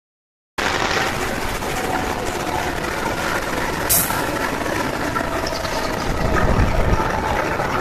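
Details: Indonesian CC204-05 diesel locomotive hauling train 161 Bogowonto: loud heavy diesel roar with a fast, uneven knock-like beat about four per second; abnormal engine noise of unknown origin.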